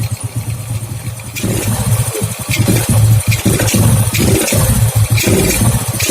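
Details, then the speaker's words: Old Honda Grand, hard starting, stuttering and fouling plugs black: engine stumbles and stutters with uneven, lumpy firing; current visibly leaking at the replacement spark plug cap is causing the misfire. "Di sini ada arus yang bocor."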